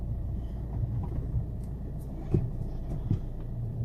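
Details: 2008 VW Golf V 2.0 TDI rolling over a garage bump at low speed, noise also present with the engine off: a low rolling rumble with a few dull single clunks; suspension knock of unknown cause.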